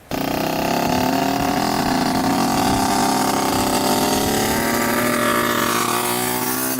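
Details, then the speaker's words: 1986 Yamaha YSR 50 two-stroke on its first ride: buzzy engine climbs slowly and sags under throttle instead of snapping up; bogging, suspected fuel blockage ('something's getting plugged up'), oil and piston still to be checked. "Obviously it needs a lot of work. It sounds like something's getting plugged up. It's not allowing all the gas to go through it."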